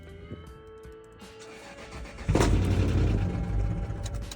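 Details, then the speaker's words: Car whose timing belt the customer had just changed, then failed: a quiet start gives way to harsh, uneven low chugging as the engine cranks; a snapped valve is suspected, not confirmed. "Yeah, that's the sound of valve snapping if I've ever heard it."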